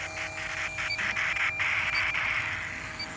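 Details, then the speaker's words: Ultrasonic AC leak detector hearing a running leak detector's pump intake nearby: steady high static hiss pulsing about four times a second, a false vacuum-leak signal while searching a refrigerant-charged AC system. "you have this big vacuum leak created right here"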